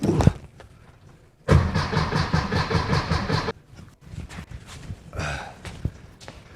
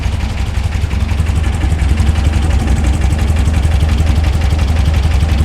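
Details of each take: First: VW Beetle after dual EMPI carb kit install: starter cranks in an even rapid chug for about two seconds, engine never fires as carbs are still filling with fuel; oil pressure present. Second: 1964/1967 VW Beetle flat-four on a newly installed dual EMPI carb kit, right after cranking up the idle screw one full turn, before syncing: low, even burble at steady idle, no misses or knocks; engine quiet, sounds good.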